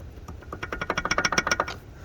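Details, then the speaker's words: 2011 Ford F350 6.7 Powerstroke 4x4, front axle torn down: dry rapid clicking, about a dozen quick knocks as the axle U-joint is rocked by hand; joint completely worn out (wheel bearings also shot), replaced with Moog greasable joints. "wiped out entirely. So I got new axle joints, Moog greasables."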